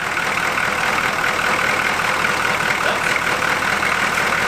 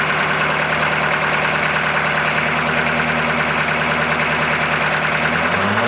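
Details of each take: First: 1981 Buick Century 350 diesel V8, just revived: steady, even idle with unbroken hiss and no knocks or misses; runs well, normal diesel idle. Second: 1981 Buick Century 350 diesel, first run after sitting, glow plugs not working and one unplugged, air just bled from injector lines: loud, lumpy, uneven running, not firing on all 8 cylinders; misfire.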